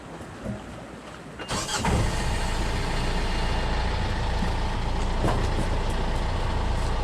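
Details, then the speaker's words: Yanmar marine diesel on sailboat mid-Atlantic, start after fitting spare eBay starter motor: brief crank, catches within half a second, settles to steady even clatter; starts and runs normally after starter replacement. "sounds good come on we're working again we have the power starter fired right up ebay saves the day again"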